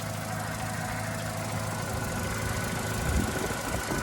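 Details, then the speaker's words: Vauxhall Corsa under salvage repair, cold engine idling: steady, even idle hum with a smooth low note, no knocks or leaks, only a slight rattle while cold; normal idle. "there's no leak on it really does sound so much more better i'm so happy it's great"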